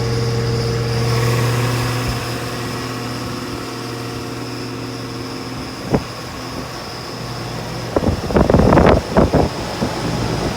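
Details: Rheem central air conditioner condenser, first startup of the cooling season: steady compressor hum with a constant fan whoosh, even and smooth, a few handling clunks near the end; running normally.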